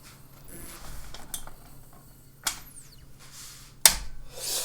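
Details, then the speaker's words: Scattered clicks and a brief rising whir as a hard drive powers up, never settling to a smooth spin; owner suspects a stuck head, and part of the drive gets hot, not confirmed. "on dirait vraiment qui est un problème de de tête comme si la tête était bloqué"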